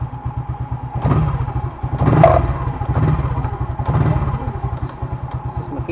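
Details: Motorcycle after cleaning a fouled spark plug that caused hard starting: steady even putt-putt with a solid low thump, no misses; starts readily and runs smoothly.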